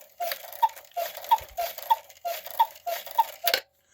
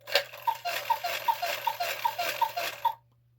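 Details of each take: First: 1950s Gebr Kuner cuckoo clock with spinning couple figures, modified Regula 1 movement, after overhaul and oiling front figure gears: even two-note cuckoo calls about every 0.6 seconds, crisp, no dragging; strike train running freely. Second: 1950s Gebr. Kuner cuckoo clock with a modified Regula 1 movement and a couple that spins while cuckooing: crisp regular paired clicks, two to three a second, as the figures rotate. The figure is not hitting the post; the cause is unknown.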